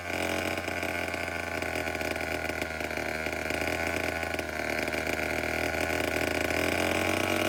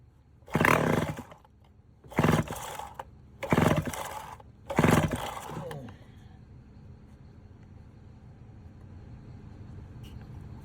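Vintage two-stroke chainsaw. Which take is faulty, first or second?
second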